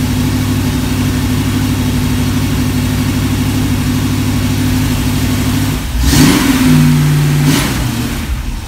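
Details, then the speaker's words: Old Hank on the run stand with new Flowmaster mufflers and block hugger headers. Deep, steady idle burble, then two crisp throttle blips that settle cleanly; healthy, mellow exhaust, quieter than the earlier black mufflers of similar size. "well I like that sound I like the other sound the sound of the bigger ones a little better but that's okay that I'll I'll accept that one it's not loud"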